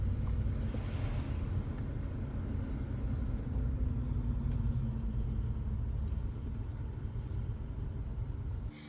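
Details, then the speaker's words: 2011 Jaguar XJL at about 60,000 miles, driving: steady high-pitched squeal over road rumble from the brakes, present while driving and worse when stopping; a known issue on this model with a service bulletin. "the brakes are squealing like crazy crazy not even when I stop when I'm just driving you can hear them squeal and then when I stop it's even worse"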